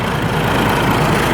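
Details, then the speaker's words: Rebuilt Mack E7 diesel truck engine, first run after reassembly, a little cold and primed; steady, even deep low thrum with no knocks or misses, nice and smooth: normal idle. "all right choling nice and smooth engine rolling quiet this is how we do"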